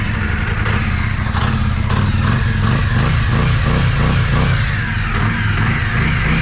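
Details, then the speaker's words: Yamaha Virago 535 V-twin on stand after carburetor rebuild kit and bigger jets (previously ran on one cylinder, leaked gas): deep steady beat on both cylinders, clean even pulses, more fuel flow felt; normal healthy running. "Amazing. We got some bigger jets in there. I can definitely feel and smell that there's more gas flowing in there."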